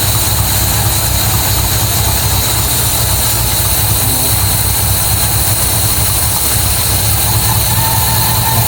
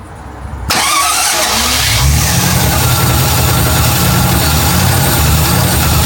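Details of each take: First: MGB GT V8 at first start in neutral, idling at about 400–500 rpm with 40 psi oil pressure: a deep, uneven, loping idle. No air filter is fitted and the carburettors are not yet balanced. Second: MGB GT V8 first start, oil pressure gauge showing nothing: catches after a brief crank and settles into an even, steady idle with no knocks or misses; sounds healthy.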